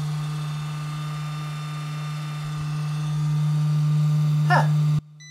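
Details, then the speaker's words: 1984 Dodge Ram D150 electric fuel pump tested with the tank pulled, on a cold, wet day, truck not starting for lack of fuel; steady low electric hum with a buzzing drone that strengthens midway, so the pump runs but delivers no fuel at the outlet, though gas smell is noticed. "ain't no rocket surgeon but i know that there's supposed to be gas coming out of there i smell gas"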